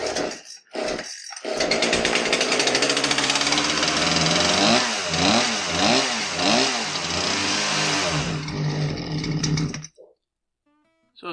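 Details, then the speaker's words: Poulan Pro PR5020 chainsaw, customer complaint won't run, now on an NGK plug: harsh two-stroke buzz surging and sagging unevenly instead of holding revs; running poorly, cause not yet found. "so it started and it smoked heavy it was flooded with bad that it ran on our NGK spark plug let's try it again"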